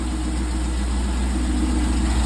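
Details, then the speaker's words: 1999 C5 Corvette after oil pan gasket replacement, subframe still lowered: low, steady idle rumble with an even beat, no knocks, ticks or misses; runs with no engine lights and no leaks. "yeah you hear that good news right there fin I got running no engine lights ignore the sign it's outdated"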